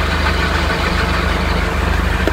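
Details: Nissan Platina, engine idling with clutch pedal pressed: steady rough rasp and light rattle from a failing clutch release bearing; replacement of the complete clutch kit, not just the bearing, is advised before it seizes and causes more damage.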